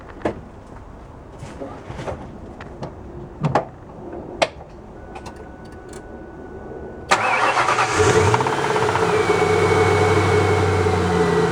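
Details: 2001 Mustang SVT Cobra, 5-speed, 65k miles: starts after a few clicks, then idles with a quick knock about four a second, also knocking above 2,500 rpm, with a gas smell and white smoke; spun rod bearing suspected.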